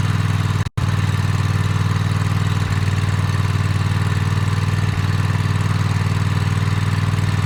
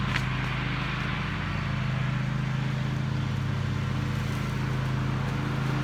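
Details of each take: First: Toro TimeCutter MX 4200 twin: low idle that sags and picks back up every couple of seconds, hesitating and jerking while driving; fuel, plugs, filter and valves ruled out, faulty ignition coils were the cause. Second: Toro TimeCutter MX 4200 twin-cylinder zero-turn mowing grass after replacing both ignition coils for rough running; steady, even drone under cutting load with no misses, though owner wants to double-check a couple things.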